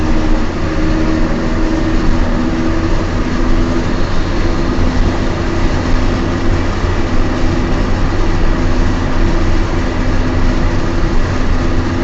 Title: Noisy bad wheel bearings in my Peugeot 206